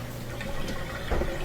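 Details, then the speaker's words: Miele washing machine after clearing a blocked black drain/vent tube near the coin trap with boiling water and a turkey baster: steady rush and gurgle of water over low pump hum, no straining; draining freely and fast, normal drain. "think it's yeah that's draining really good really fast so that's what it was that black tube was just full of junk"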